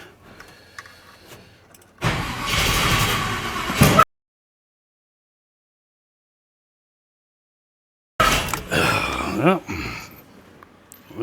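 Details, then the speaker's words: 1986 Chevy C10, newly installed engine, first fire attempt: two short bursts of starter cranking, no firing; owner suspects fuel not yet up to it, may need choke; sounded the same. Crank no start. "Still might not have fuel up to it yet. It sounded the same."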